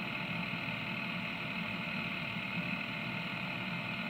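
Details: Caterpillar diesel's newly replaced electric fuel priming pump, run after fuel filter change to fill the filter bowl with off-road diesel: steady, even electric hum, constant pitch, no surging or rattles; pump running properly.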